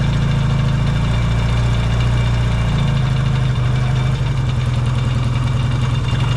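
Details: Yamaha XS650 twin, started cold in an unheated shop: even, loud low thrum holding steady at fast idle while warming; smooth and healthy.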